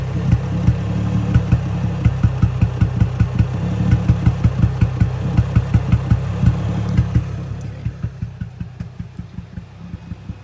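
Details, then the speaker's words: Infiniti G35 with idle dropping and inconsistent, loud running, power loss and heavy oil burning: lumpy idle pulsing about two and a half beats a second and sagging; suspected engine misfire, cause not confirmed. "So if you notice, the idle is kind of inconsistent. Right now it's adjusting now, but yeah, you'll notice it's going to keep dropping and dropping."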